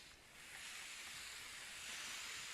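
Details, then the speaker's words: Water tank filling through a newly finished manifold: a steady airy hiss swells and holds as air escapes, showing the vent is working properly. "Oh yeah, it's definitely hissing, that's good."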